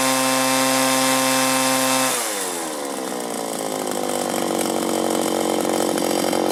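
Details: 1983 Echo PB400E two-cycle blower, warmed up: steady idle, then revs up cleanly and holds an even high pitch without bogging or surging; normal running.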